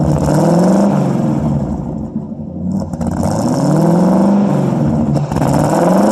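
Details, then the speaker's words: 1952 Ford Customline flathead V8 after sitting one to two months, cold start on a 6-volt battery with a 12-volt jump pack; mic at the exhaust while revved a few times. Deep burbly note climbs smoothly through quick blips, settles to even idle; healthy, free-revving, though it smokes slightly. "I'll take and put you guys back here at the exhaust. I'll rev it up a couple times and you can hear what it sounds like."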